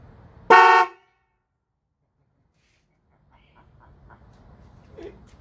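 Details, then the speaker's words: Toyota Tacoma fitted with two sets of high- and low-tone horns from a 2007 Cadillac DTS, replacing the weak, high-pitched factory horn: one loud, clean, rich two-note blast, louder than before. Normal dual-tone horn. "anyway definitely louder than before"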